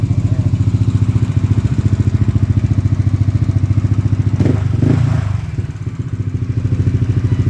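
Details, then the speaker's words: Yamaha NMax V1 scooter with a modified engine, brought in for a loud engine noise even at idle, after repair: steady, even single-cylinder putter at idle, one brief bump, no knock or rattle; noise gone, normal idle. "Nawala ba yung tunog nito? Nawala na yung ingay. Nawala. Nawala na ingay."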